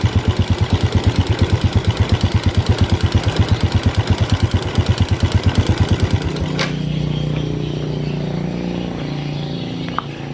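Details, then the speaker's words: Yamaha Vega ZR (called Vega RR) motorcycle engine running rough: coarse, regular clattering at idle like a doctor's-practice rattle, stopping at shutdown; suspected worn cam chain, timing cover to be opened to confirm. "suaranya itu lampu suaranya praktek dokter kayak gitu ya itu biasanya disebabkan vilante kamrat"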